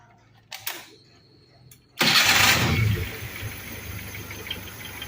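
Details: Suzuki Carry 1.0 converted to LPG, after regulator idle-circuit setting: a couple of clicks, short crank, engine catches and settles to a steady even idle without throttle; normal start on gas idle circuit.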